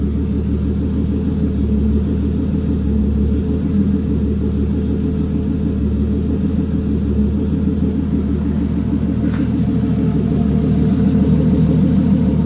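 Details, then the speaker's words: Toyota 2JZ on ECUMaster EMU Black with sequential fuel and spark, cold morning start that took a second to fire: steady, even low idle with no knocks or misses, running rich on the warm-up cycle before leaning out; normal. "so as you can see it's running kind of Rich that's because it's on a warm-up cycle so once it warms up it'll start to lean out"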